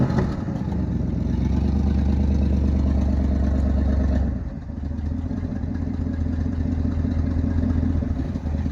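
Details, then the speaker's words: 1972 Ford F-350 V8 auction truck after getting it running: deep even rumble rising on a throttle blip and settling smoothly, no valve clatter; sounds and runs good, owner suspects a minor exhaust leak on one side. "I'll bet that we can make her pull off this trailer pretty simple. I just can't do it holding y'all. Sounds good, runs good."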